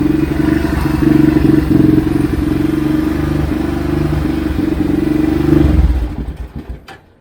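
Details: Xcel mini dirt late model (micro sprint based) twin on first start after carb cleaning: chugs unevenly at fast idle with clattery misses, then stumbles and dies; rough running. Oil later found full of fuel; owner suspects the carb is junk.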